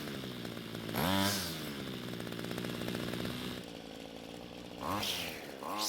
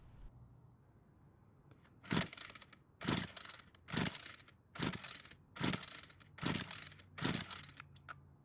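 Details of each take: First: Homelite trimmer that wouldn't start, after carburetor L screw turned out to stop bogging on quick throttle: steady idle with crisp, clean rev blips rising and falling without hesitation; running normally after carb adjustment. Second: Homelite string trimmer that won't start, with spark confirmed and compression at 150 psi: seven rope pulls about a second apart, each a short whirring rasp, with no firing. The engine is flooded with too much fuel.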